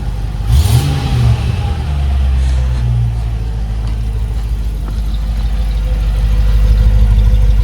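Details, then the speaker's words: Land Rover Discovery 2 after mid and rear exhaust section replacement, started on choke: deep, clean rev with no rattles or blowing, exhaust sealed and healthy. "Bear in mind it's on choke at the moment. No rattles. This sounds rather good."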